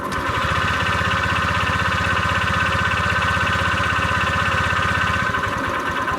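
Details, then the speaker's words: Honda Vario 125 with damaged connecting rod, at idle after oil change with oil treatment and Shell 20W-50: regular knocking about four per second; connecting rod must be replaced. "Jadi kalau menurut gua oil treatment sama oli 2050 nggak bisa ngobati untuk yang stang seher rusak ya. Jadinya memang harus diganti stang sehernya, dan suara itu juga nggak meredam untuk suaranya, jadi tidak berisik."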